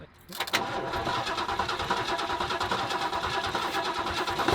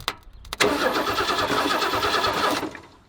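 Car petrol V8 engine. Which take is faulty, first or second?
second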